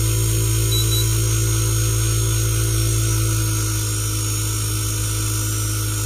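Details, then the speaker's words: Whirlpool inverter AC outdoor unit, compressor switched off by button before disconnecting the indoor PCB: steady low hum fades gently and evenly as the compressor slows to stop; normal inverter ramp-down. "So స్లోగా compressor అయితే of అయిపోతుంది. Compressor of అయిపోయింది."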